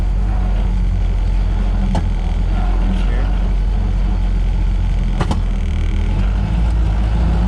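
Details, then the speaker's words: 1931 Ford Model A coupe, long stored with sludge in the fuel tank, while driving after tank cleaning and adding a second filter: heavy labouring rumble surging unevenly with sharp bangs; no power, running rough, then stalls. Suspected fuel blockage, not confirmed. "now it's got like no power and it's it's not running very nicely either"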